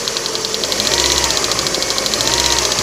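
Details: 2008 Lada Priora, cold start at −15 °C after standing five days: fast, even, sharp metallic ticking about ten per second over warming idle, coming and going; hydraulic lifter (lash adjuster) knock, owner plans replacement.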